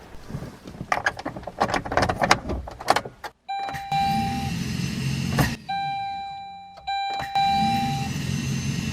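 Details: 2005 Saturn Ion 2.2L Ecotec no-start (only clicks): starter removed and bench-tested on a good battery via jumper cable, clean steady high whine, even spin, smooth wind-down; starter is healthy.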